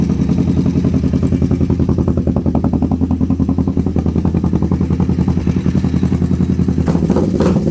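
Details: Twin-cylinder engine started after clutch checked and speedo cable cleaned and regreased; loud, uneven clattery thumping about three and a half beats a second, running on both cylinders but rough, cause unknown.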